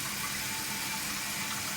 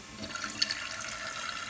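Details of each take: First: Toilet tank refilling after a noisy fill valve was replaced with a new one: steady hiss of rushing water with good, fast flow, no squeal or hum; a quiet, healthy fill valve. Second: Toilet tank refilling with a steady, harsh hissing rush of water from the fill valve; noisy fill valve, suspected worn rubber seal inside, to be replaced.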